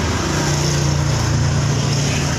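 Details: Suzuki Spin scooter CVT with an even, steady drive hum and no growl; the rough growling (ngorok) traced to a worn clutch-housing bearing, this clutch-area bearing check runs smooth.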